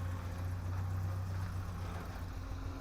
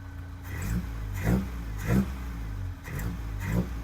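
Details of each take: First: 1984 Toyota Hilux 4x4 carbureted engine after new spark plugs and fuel filter, idling with small throttle stabs; it backfired before but not now; low uneven idle sags nearly to stalling then recovers; owner suspects a poorly tuned carburetor, possibly running rich; hesitation near stall. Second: 1984 Toyota Hilux 4x4 with carburettor, after new plugs and fuel filter, not yet warmed up: quick clean throttle blips about once a second, no popping or stumble. It smells strongly of fuel and slightly of burning, but the throttle response is normal.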